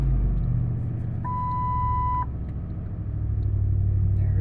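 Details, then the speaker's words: 1998 Lincoln Continental 4.6 L DOHC V8, cold start at 29°F in snow and ice: brief chime, then fires right up and settles into smooth even low idle rumble, no knocks or ticks; normal. "Fired right up. You can't beat the old Lincolns. They just don't quit."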